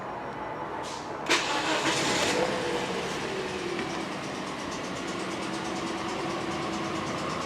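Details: 2009 Toyota Corolla 1.8L with check engine light on and engine shaking: petrol engine cranks and settles into an uneven, ticking idle, misfiring on cylinders 3 and 4 (mostly 4); bad compression.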